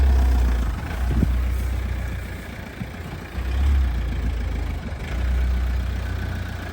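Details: Toyota Avensis T270 D4D diesel after sorting the brake anti-rattle clips that caused squeaking: steady low diesel rumble with no squeal or scrape; the brakes are now quiet.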